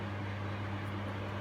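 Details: Portable air conditioner that switched on when a Milwaukee battery charger was plugged into the same power, LCD display off: steady low fan hum with even rumble, no cycling; fan running with display off, cause unconfirmed.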